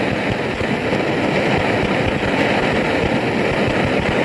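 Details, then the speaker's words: BRS-8 multi-fuel stove on white gas, bottle flipped opposite to the instructions, well preheated: loud, ragged, uneven roar instead of a steady hiss, still spitting liquid fuel. "And even with all that, it was pretty preheated. and we're still getting all of this spitting of liquid fuel."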